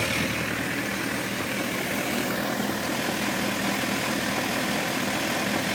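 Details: Honda CBF 1000 F motorcycle, recorded from various sides, knocking audible in the first seconds; busy idle with uneven knock about two to three per second under exhaust rumble, origin unclear: engine knocking noise.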